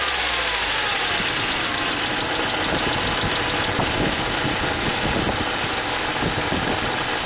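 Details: 1996 Mercedes C200 W202 at idle: sharp metallic knocks at roughly four per second through a noisy, hissy idle; cause unknown; engine knocking at idle.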